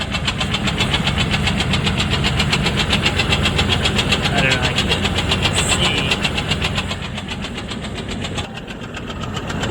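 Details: Recently started rhythmic knocking/banging from the running engine, about four beats a second and following engine speed, heard under the hood while trying to locate it; source not yet found.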